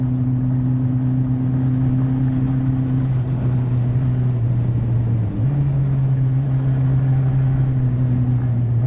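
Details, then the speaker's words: Suzuki Katana 750 barn find, recommissioned after 31 years standing, on a test ride after cruising at 40 mph and 2,500 rpm: steady drone with a stumble and uneven pulsing, a misfire, rider suspects down to two cylinders; cause not confirmed. "It's a little vibration there on. A bit of a misfire. Oh dear. Oh dear, that doesn't sound good."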